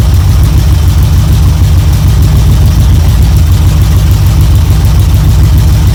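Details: 1972 Chevrolet C10 V8 idling evenly after a choke start on a battery charger in about 40° drizzle; it briefly flooded, then ran with good oil pressure, deep steady burble, no knocks or misses, warming up: normal idle.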